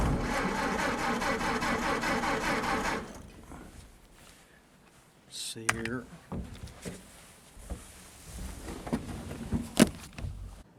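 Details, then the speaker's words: 1931 Ford Model A cranked after reassembly: about three seconds of steady, even cranking with no firing, then it stops. No start because a shorted headlight wire blew the fuse at the starter; timing-retard lever position was also uncertain. "yeah I see why it's not running the fuse blue one of these wires for the headlights must have shorted out against something fuse goes right there on the starter"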